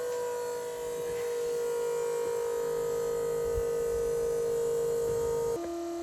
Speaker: Pump is obviously working pretty hard. It's obviously filling up the this water tank.